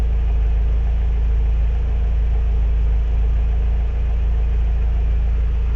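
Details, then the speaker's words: Renault 17 TS petrol engine with rebuilt Weber 32 DARA 4T carburettor, warm after automatic choke released, idle set to 800 rpm: steady, even low rumble with no misses, knocks or ticks; normal smooth idle. "Voilà, on est à 800 tours. Donc on est à 800 tours."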